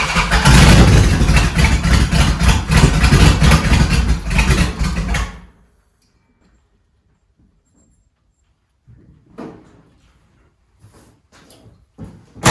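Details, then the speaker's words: 1971 Dodge Charger Super Bee 383 Magnum, started stone cold after a valley pan change for a suspected intake leak, timing untouched: loud, lumpy V8 idle with uneven thumps and sharp pops, flames, then cuts off; misfire and backfire persist, likely not fixed. "I hope this prick is just cold, because that ain't making no sense. Guys, I got sneaking suspicion I did not fix her, but it is cold out."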